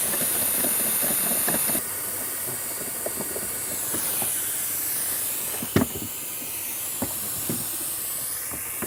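A high, steady hiss of air escaping a pressurized pool filter tank as it bleeds down, with tool clanks.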